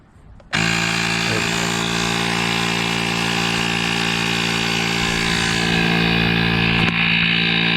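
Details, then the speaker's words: GOOLOO A2 2500A jump starter's built-in air compressor inflating a tyre from about 10.2 psi toward a 32 psi preset: small piston pump starts abruptly and holds a steady buzzing rattle at even pitch; running normally. "I'm just going to set this to 32 psi. And we're going to let her go."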